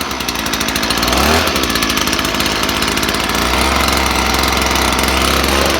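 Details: Stihl leaf blower two-stroke, test-run after a clogged spark arrestor smothered the engine, run with the arrestor left out: buzzes cleanly, drops back briefly, then picks up and holds steady revs; healthy, no bogging or sputter.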